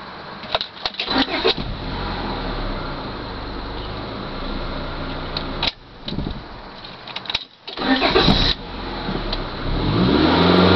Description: Listen each time the engine is turned off. There's a knocking sound that happens about 3 times in a row.